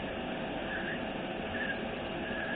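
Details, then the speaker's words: 2003 GMC Yukon 1500 4L60E transmission teardown: three faint high chirps about every 0.8 seconds as the roller clutch is turned by hand; squeaking indicates a good roller, fit to reuse. "squeaking means that it is a good roller"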